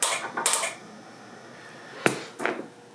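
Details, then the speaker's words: Flex Radio 6600M station, faulty relay board on power-up. Sharp dry clicks in small bursts, about four in three seconds, as relays chatter when power is applied and the radio comes up; sometimes it briefly cuts power off and on. "When it gets, as soon as it gets power, you can hear the relay. So hear that click. Now watch when I turn the radio on and listen as the radio comes up. Hear it click like that."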